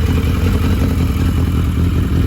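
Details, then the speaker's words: Vintage motorcycle (one of a Yamaha Maxim, Honda Shadow, Honda V45 Sabre 750 or V65 Sabre 1100) started on choke at a touch of the button, fuel present: strong, even low rumble with steady beat, no misses or knocks; starts and runs cleanly, normal. "So anyway, she fired right up, and she's running great."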